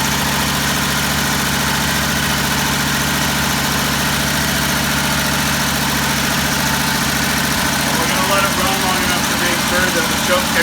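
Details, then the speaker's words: Old Jeep J-truck first start after fitting a remanufactured carburetor, primed, with exhaust manifold studs broken: loud, steady fast idle held on the choke until it kicks off by itself, with no misses, knocks or stumbles; healthy. "off on its own okay"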